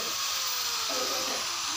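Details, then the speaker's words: Angle grinder running before repair: high, steady whine with a rough, uneven rattling buzz and heavy shaking, caused by a failed front bearing that gets replaced. "তো দেখতে পাচ্ছেন গ্যালেন্ডারটি বেশি ঝাঁকানো হচ্ছে, শব্দ হচ্ছে, ঘট ঘট শব্দ করছে।"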